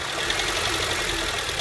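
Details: 2008 Honda Civic petrol engine at idle after light revs: fast, steady metallic knocking from the front accessories, worst when returning to idle; the AC compressor bearing failed, later seized, and the compressor was replaced.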